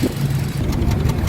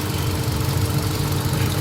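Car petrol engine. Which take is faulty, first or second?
first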